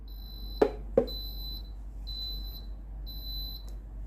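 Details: A Philips GC6720 (GC67xx) steam iron with its orange light flashing gives short high-pitched beeps in a steady on-off pattern, with two clicks. Its soleplate is hot, so it is calling for a calc-clean descale.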